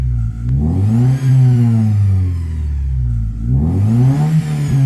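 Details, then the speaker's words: Toyota Celica 3S-FE after head gasket/water jacket leak repair, new water pump, thermoswitch, fans on: revs rise and fall with a whine following each rev; squeal when revving with overheating, cause unclear. "Fuerte también el chillido. Tengo que acelerar así un rato."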